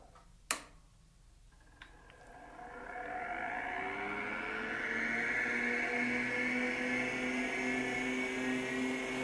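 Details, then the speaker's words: PDP-11/83 (BA-23 chassis) original small hard drive, with an M7555 controller card, at power-on: click, then smooth rising whir settling to a steady hum, no scraping – clean spin-up, no head crash; then boots RSTS. "the hard drive is spun up though doesn't sound like it has a head crash that's good news"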